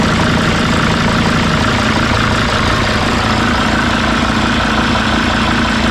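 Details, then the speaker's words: Mercedes T1N van diesel after swapping reversed vent-tube-heater and high-pressure-pump connectors that caused stalling: steady, even idle, smooth low rumble, no stumbles, misses or exhaust pulses; normal idle. "i think that's longer than it's run before so that must have been all it was to get those swapped it's nice and smooth no pulses in the exhaust injectors cool"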